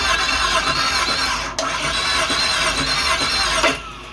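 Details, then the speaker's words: 5.3 LS from a Suburban swapped into a promod rock crawler, cranked dry with coil packs and fuel pump disconnected to prime oil pressure: a sharp squealing whine over the starter spin; starter suspected to need a spacer. "Probably needs a spacer in the starter. Sounds like it."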